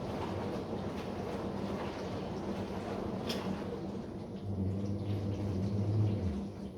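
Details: Bosch SMV53M70EU/A5 dishwasher running: a steady low hum under the water swish, swelling toward the end, caused by the upper spray arm seal.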